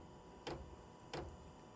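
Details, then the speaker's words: VEVOR 5 kW 12V diesel heater at startup; it didn't enter prime mode, and the red light is thought to be the glow plug. Crisp, even ticks about every two-thirds of a second from the dosing pump, metal hitting metal in its cylinder; normal. "you remember what i was showing y'all how it works that cylinder that's why it makes that thump thump thump because every time it pumps it that metal is hitting metal inside that pump"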